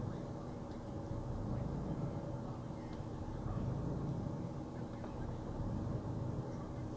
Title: Rough idle